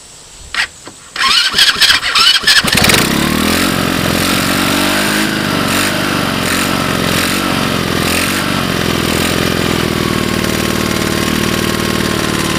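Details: China 110cc engine temporarily mounted on an off-road cart frame, cold start on a portable CDI box after reversed pulse-generator leads were fixed: a few cranking bursts, then a steady, even idle with no strange sounds.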